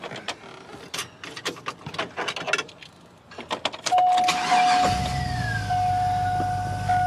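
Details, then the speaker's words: Chevy Silverado pickup bought cheap as a flip, brake lines needing work: a clatter, then the engine catches quickly and settles into a steady, even idle with a faint whistle. Runs well; normal engine start and idle. "But listen to it. It runs like a Chevy. I'm happy, man."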